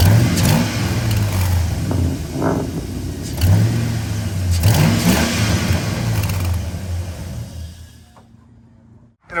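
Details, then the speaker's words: 5.3 truck, cold start after fixing an exhaust manifold leak at the rear manifold with a snapped-off bolt, using a manifold clamp: engine catches and settles to a steady, even idle with no ticking or puffing; the leak is gone. "i said from inside the truck i can't hear the exhaust leak at all i hope in the video it does adjust this"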